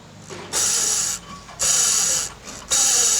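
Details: Worn water pump from a Mercedes A200 1.6 turbo with a noise complaint, removed and spun by hand three times. Each spin gives a dry, gritty whirring rasp: a rough, worn pump bearing.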